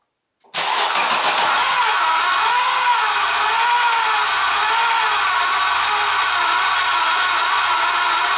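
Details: Audi 200 20V with a 3B engine after the timing was reassembled: it catches and runs steadily with a wavering metallic hum over a hissy, busy top end, an abnormal engine noise with the cause unclear.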